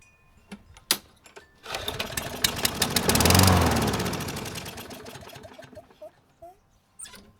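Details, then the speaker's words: Free Craftsman mower (model 917.370431, Briggs engine 126m02-1525-f1), non-starter revived after zip tie tightened restoring spark: catches after a few pulls and runs with an even, regular beat, sounds good; still has dirty carb and broken cable. "nice beautiful that's what i wanted to hear the engine it sounds good"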